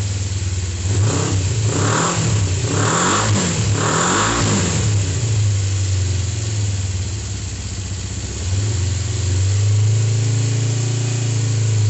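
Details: Freshly reassembled, serviced Kawasaki GPZ500S (498cc twin, carburetted) just started after priming carbs: a few quick throttle blips, then a steady, even warm-up idle; sounds healthy.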